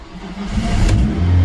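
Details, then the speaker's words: Old Volvo V40 petrol engine that had no compression, after squirting oil into cylinders and cleaning plugs: catches after cranking and revs strongly and cleanly, burning off the oil. Engine starts and revs. "as simple as that bit of oil in the pots and clean the plugs and now I think it's burning all that always squirted in the cylinders"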